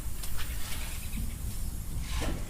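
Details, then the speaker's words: Supra boost leak test at about 35 psi with the engine off, before dyno tuning: steady airy hiss with gusts as pressure holds, from air escaping past a loose intake coupler clamp; boost leak found. "oh oh night here that sounds like some shit's about pop well found one i guess i'll keep going to see if i can find more"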